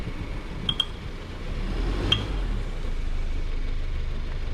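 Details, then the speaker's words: 2015 Subaru Forester XT at idle: sharp metallic pops from the front suspension as the car is shifted into reverse and takes up load, none in drive. Lower control arms were already replaced; the owner suspects the CV joint, cause unknown. "yeah and then a lot of times with with weight shifts so not put it in reverse and you can hear it pop put it in Drive can't hear pop here's Reverse"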